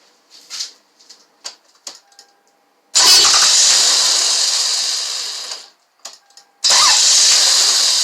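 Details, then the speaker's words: 1999 Toyota Avalon that came in stalling, with P1300 and check-engine light on, now consistently won't start: two long bursts of steady cranking that never catch, typical of no spark. The fault is in the ignition coil wiring. "cars like consistently broken now so I try to startup and is not doing anything"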